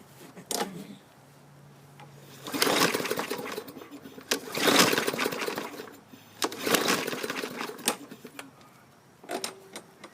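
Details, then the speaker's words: 2015 Yard Machines 21-inch mower, 550E engine, primed, half tank of unknown fuel: several long pull-start strokes with firm compression, no sheared flywheel key, but engine never catches. "It's got compression, and it's not yanking my shoulder out of its socket, which machines have been lately with sheared flywheel keys."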